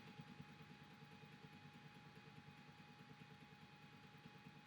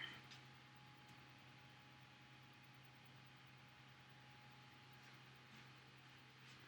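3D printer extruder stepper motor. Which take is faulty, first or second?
first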